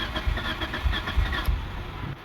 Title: Mitsubishi Lancer 2004, hard starting engine usually on cold morning. and this is what we did.